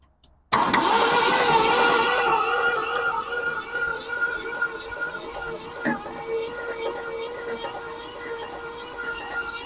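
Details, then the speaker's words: 1965 Ford Thunderbird sat for years by the ocean, little to no compression on one bank: catches and runs rough with a loose, fairly regular clack two or three per second; owner suspects a broken connecting rod, unconfirmed. "it almost sounds like we got a broken connecting rod or something but clacking around down there"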